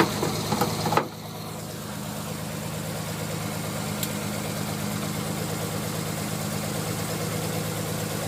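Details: Non-turbo Nissan R33, cold start after sitting about two days with hard cranking: an uneven, lumpy idle with irregular misfire stumbles that clears after about 10 minutes of warming. Coils, injectors, gasket and fuel supply were checked; cause unknown.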